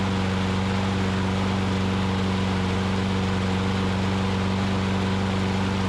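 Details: Older Troy Bilt push mower after repair (governor spring relocated to correct position, broken dry-rotted carburetor bowl O-ring found as the fault): steady, even drone at constant speed, no hunting or surging, running smoothly on its own; normal running.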